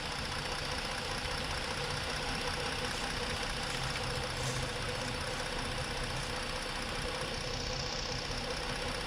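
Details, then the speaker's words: Ford 3.5 engine at idle after intake manifold work: rough, uneven idle with an irregular stumble under a loud, busy hum; scan tool power balance shows cylinder 3 still misfiring. "we are still missing on number three we are still missing on number three"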